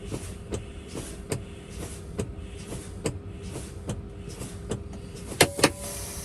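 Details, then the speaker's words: Truck air brake in-cab inspection: brake pedal pumped to bleed air, regular chuffs about twice a second, then a low-air warning beep; spring brakes set between 20 and 45 psi, pushing out the brake buttons, as expected. "So I do that by continuing to leak air out of the system by pumping the brakes, and between 20 and 45 psi, my spring brakes should take over and automatically push out my brake buttons."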